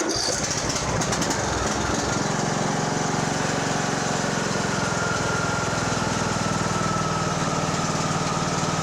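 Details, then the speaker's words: Poulan Pro 185A42LT riding mower engine during resale refurb, started on choke with shrouds refitted for cooling: catches within two seconds, settles to smooth, even, quiet idle; normal idle. "is pretty good nice and quiet actually okay we're gonna call that done"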